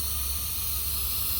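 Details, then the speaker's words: 2020 M8 engine, 35k km, leak-down test on cylinder 6 at TDC (low compression earlier), 90 psi in, 23% leakage: steady, even air hiss, much louder at the intake than the exhaust, pointing to a leaking intake valve. "Okay, I hear much more the intake than the exhaust. I can hear the exhaust, but the intake is much more."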